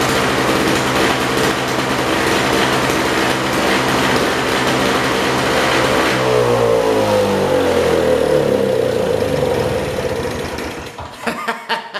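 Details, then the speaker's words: 1970s (possibly 1973) Nova two-stroke snow blower, first run after replacing a suspected bad spark plug, choked: screams at high revs then pitch sags and it sputters to a stop. "Awesome. We got it to run. It sure took off pretty damn good."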